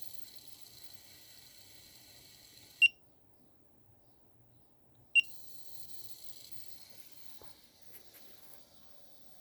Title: Wanptek APS1203H strange noise (boiling)